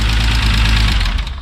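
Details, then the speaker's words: MK3 VW VR6 turbo wagon on its first start after the build: loud fast idle with a light rapid ticking on top. Lifter tick expected to fade once oil reaches the head; no leaks seen. "i said once the oil circulates a bit more uh the ticking up here should go down but it runs"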